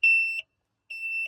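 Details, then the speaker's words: Bomag Hypac sheepsfoot vibratory roller, run 8 years, during throttle switch replacement and diagnosis of a blowing starting-relay fuse; two high shrill beeps about 0.9 seconds apart, an alarm never heard before, cause unknown, and it won't start. "I have quite literally never had or seen this roller make that noise. I've ran this thing for 8 years and it's never made that noise."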